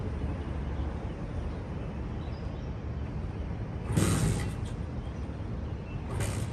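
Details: Custom Honda S65 with a Lifan 140cc four-stroke engine swap, no air filter, ridden around a parking lot after sitting for years: small single putters evenly at low revs, with brief hisses from outside. Normal running.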